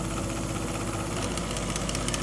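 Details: Old Bryant gas furnace inducer motor assembly failing after years of noise: steady low drone with rattly, uneven hum and faint ticking; fixed by replacing the inducer motor assembly.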